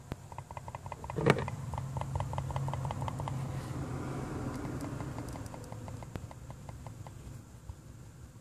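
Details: 2014 Porsche Cayman S: quick bursts of light, tinny clicking as the loose oil filler cap/cover is pressed on a flat surface, noisy on some sides and not others, over a low background hum.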